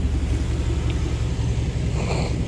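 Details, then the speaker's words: 1997 GM 5.7 L 350 Vortec V8 truck with factory exhaust manifolds, after water pump replacement, warm with thermostat open: deep, steady idle rumble with even firing and no knocks or ticks; sounds healthy. "y'all let me know in the comments what y'all think I think it sounds good it's a 5.7 350."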